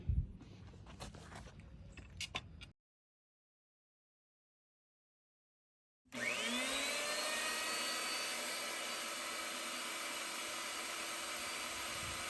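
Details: Old Craftsman jointer after restoration, cutterhead guard refitted: motor spins up with a rising whine and settles into a steady, even hum, no knocking or rattle; running normally.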